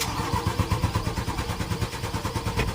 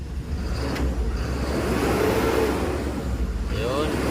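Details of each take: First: Mitsubishi Canter 4M50 diesel: very long steady rapid cranking without catching, hard starting despite strong engine power, repeatedly destroying starters. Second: Mitsubishi Canter 4M50 diesel after hard-start fix, now starting on one click even warm: three repeated revs toward redline, pitch rising cleanly and falling back without misses, pulling strong and healthy.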